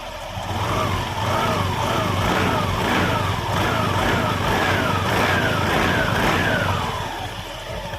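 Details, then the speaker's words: Automatic scooter CVT after replacing worn parts including a new drive belt: revs up and settles smoothly with no knocking, rattle or grinding; new belt's waxy coating may make noise a few days; transmission sounds healthy. "Nanti kalau beberapa hari digunakan biasanya akan kering sendiri hilang sendiri suaranya halus ya"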